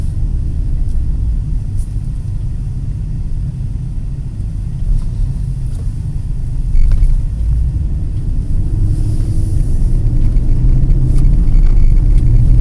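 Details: 2008 Nissan Pathfinder V8 cruising at about 70 mph on smooth concrete, tablet microphone, during a before/after comparison of a Volant Powercore cold-air intake with AEM Filter Minder. Even engine rumble under road noise, no knocks or whines, normal cruise sound, no difference.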